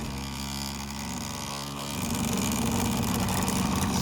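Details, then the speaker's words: 3D-printed maglev motor at 10 volts with the back plate removed and the shaft still wearing its seat in: an uneven buzzing hum with a wobbling beat near four per second, roughening as it speeds up. Rough running. "still a little on the Rough Side there it goes I knew it would catch just a matter of it digging now hole in the right side"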